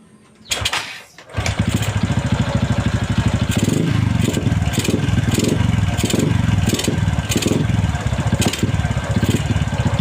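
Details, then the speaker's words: Motorcycle newly fitted with an N-Pro carburetor, before tuning: engine starts, then revs in short surges that sag and stumble instead of climbing, won't accelerate; needs main jet, air jet and needle tuning. "อ่าอ่านี่นะครับก็เมื่อกี้ก็เพื่อนๆได้ดูแล้วนะครับว่าอาการมันเร่งนะครับไม่ได้นะครับเร่งก็วอดวูบนะครับ"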